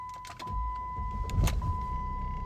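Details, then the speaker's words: Jeep Grand Cherokee 3.0 CRD (Mercedes diesel) after fuel filter replacement, system primed by ten ignition cycles: short crank, then it catches and settles into a steady, even idle with a chime behind it; clean normal start. "it runs without any issues."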